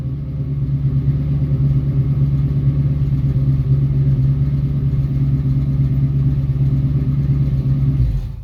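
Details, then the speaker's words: 1966 Mustang with a swapped-in 90s Ford 302 roller V8 and new exhaust: deep, even burble swelling slightly with throttle, no knocks or misses; normal running. "The 302 motor, tons of power, super smooth. The new exhaust on it sounds great."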